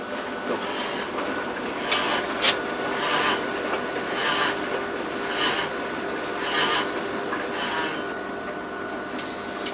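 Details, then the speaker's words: Machine running: uneven rasping scrapes about once a second over the motor hum as the drum turns; drum rubbing noise, owner suspects the door part pushing against the belt. "So that noise I think it's something to do with the possibly the door cuz it use there's a thing that goes basically around the belt sort of thing. When you push it, it's pushing against the belt."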